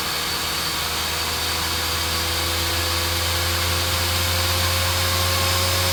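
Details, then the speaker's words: Dell GX280 desktop computer that powers on with no POST: the fan is loud and steady with a high whine, rising to full speed. The CPU heatsink was not pressing down enough on the left side of the processor. Fan running flat out from poor heatsink contact. "this thing seems to be quiet although you don't get a post on the screen at all and the fan gradually gets louder all right"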